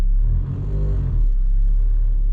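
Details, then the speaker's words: Mazda 3, engine just started: deep droning low rumble throughout with nothing sharp on top, engine shake transmitted through a worn engine mount (top right side and torque mount to be replaced). "well just started up the car and i don't know if you can hear it has a significant rumbling sound very significant and um"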